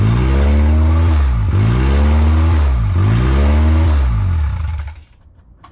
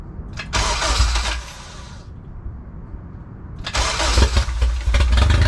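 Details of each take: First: Built Honda K20A2 first start, very loud; alternator charging about 14 V; revs rise and fall in a steady cycle about every 1.5 s, then shuts off; surging idle. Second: Built Honda K20A2 first start after the build; brief crank, momentary dip, then a loud, steady, even run with no knocks; normal first start.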